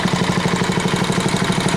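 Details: Tiller single-cylinder engine after fitting a carburetor taken from a stuck engine, half choke, air filter on: quick even putter about thirteen beats a second, no misses; now idles smoothly.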